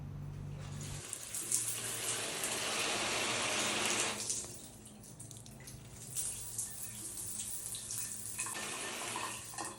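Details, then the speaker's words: Shower valve after replacing the worn, howling on/off valve (old seals suspected) with a new one, thread sealant and O-ring: water runs with a plain, even hiss, no howl or whistle, normal quiet flow. "ทีนี้ก็ลองมาเปิดใช้ใช้งานดูนะครับว่ามันเป็นไงอ่าสำคัญคือมาฟังเสียงนะครับว่าเสียงมันหอนเหมือนเดิมมยไม่มีเสียงหอนแล้วนะครับ"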